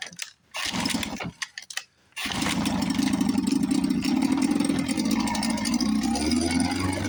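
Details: 1954 Johnson 5.5 HP outboard, probably not run since the 1960s, first start on choke after carburetor rebuild. A few cranking pulls, then it catches and settles into a steady, buzzy run. Possible gear oil in the water. Normal running after start.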